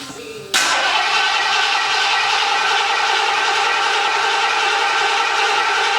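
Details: Cold start of a 1979 Lincoln Continental Mark V (Bill Blass edition) V8, about 49,000 original miles, after sitting 8 years with a new AGM battery. There is a brief crank, then it catches at once and settles into a steady, even fast idle with no knocks or misses. Normal cold start.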